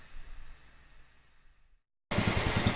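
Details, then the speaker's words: Restored Sears 10XL riding mower tractor, small single-cylinder engine chugging evenly at about three beats a second with no knock or miss: normal idle. "I just wanted to hear it run again"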